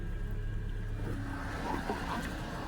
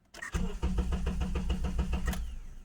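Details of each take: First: Honda Accord, after replacing dead relay that caused no-start: engine catches and settles into a steady, even idle that firms up after a few seconds, no misses or knocks; relay was the problem. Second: 2009 Honda Accord 2.4 that stalled on the road and was towed: starter cranks evenly about five turns a second, briefly tries, then stops without catching; cranks but won't start.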